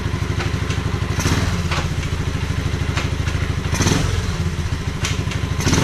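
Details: 1986 Honda Fourtrax 125 after carburetor cleaning: even single-cylinder thump at idle, a few quick blips rising cleanly and settling back steady; normal idle.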